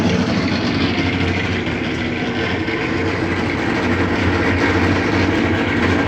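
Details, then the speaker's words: Maytag washer during spin: heavy constant rumbling roar with coarse grinding edge, customer says too loud when spinning; another technician suggested bearings, not yet confirmed. "dice que hace demasiado ruido cuando está exprimiendo"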